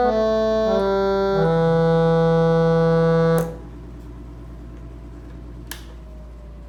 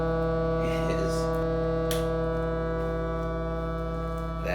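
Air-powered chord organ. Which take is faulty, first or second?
second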